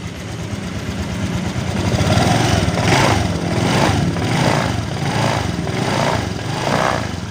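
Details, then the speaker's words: Honda Vario 125 (old) after the water pump seal repair for coolant in the oil, test start with the radiator filled, no coolant spurting: steady single-cylinder idle with gentle swells and no misses or knocks. "Oke, kita gas. Aman ya, aman, nggak muncrat."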